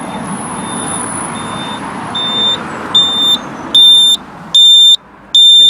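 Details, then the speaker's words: 2009 Jaguar XF 3-litre, common fault of the cluster-built indicator sounder going silent, fixed by adding a beeper wired into the green/yellow rear indicator loom wire; ignition on, engine off: crisp high beeps about every 0.8 s in time with flasher, working. "And now if I put the indicator on, the car's on but obviously not running. Let's put the indicator on. You see that's working."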